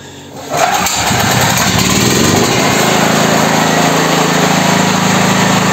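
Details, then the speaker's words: Petrol generator (claimed ~7 kW) that wouldn't start, battery dead, carburetor jets clean, after quick repair and pull-start with choke; cranks briefly, catches within a second, settles into a steady, even idle, no misses or knocks: normal idle. "работает как часики [музыка]"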